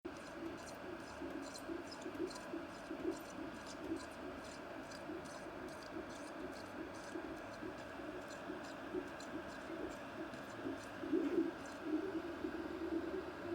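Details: Creality CR-10S Pro extruder feeding: soft repeating squeak about once a second, present since new and worsening; tightening and loosening screws didn't help, cause unknown.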